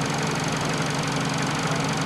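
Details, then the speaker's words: Fiat Panda 4x4 Sisley cold start after fuel pump trouble: steady even idle with light quick injector ticking, no misses or knocks; normal, though the cheap pump sometimes needs tapping to run. "the uh sorry the injector ticking away awesome stuff"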